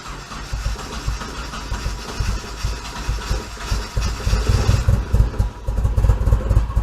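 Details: Rebuilt turbo KA24DE first start after sitting since November, dead battery jumped, fuel rail had been empty, leaking fuel lines: lumpy uneven running with surging, stumbling thumps; owner suspects distributor base timing is off.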